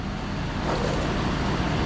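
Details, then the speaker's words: Truck with an idle issue appearing only after it has run a while: steady low rumble, even unbroken beat, no stumbles; idles smoothly, not rough yet. "It's not rough, but I haven't run it long enough for it to give me that idle issue."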